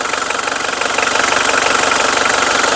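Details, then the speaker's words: Mitsubishi Strada 2.5 Mega Cab diesel pickup: steady idle with even, quick knock rhythm and no misses or odd noises; engine sounds healthy, no white smoke, drives long distances normally. "เสียงเครื่องเพาะนะครับรถไม่มีควันขาวนะครับผมขับทางไกลได้ปกตินะครับผม"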